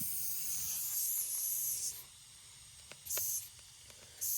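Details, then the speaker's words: Caravan minivan tire being filled from an air compressor; the tire may have no valve. Sharp bursts of airy hissing start and stop about three times as air escapes at the tire, which is leaking from everywhere. "Yeah. Also, oh, this is leaking from everywhere."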